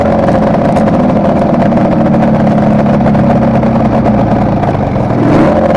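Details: Kawasaki KR250A two-stroke at idle, recorded while the engine still ran: busy idle with slight irregular stumbles; tachometer moves oddly at idle, appearing over the last three runs, and as it connects to the misfiring cylinder's wiring, owner suspects an intermittent misfire.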